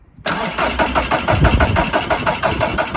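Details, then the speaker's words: VW Caddy pickup with a 1.9 TDI PD130 diesel, fuel filter bled and fuel confirmed reaching the engine. It cranks steadily at about three beats a second but never fires, ruling out fuel. "yeah still didn't start but now we know that it's not a fueling issue because we looked at the faner bottle and as I was cranking it the fuel was going down meaning it is getting pumped to the engine"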